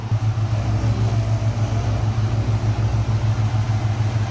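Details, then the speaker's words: 2014 Gen 1 Ford Raptor at idle with wheels turned both ways after pulley fix; steady, even engine hum with no groan or whine, normal power steering, the original pump never needed replacing. "it was this thing this thing the whole time so in reality she didn't need a new steering pump"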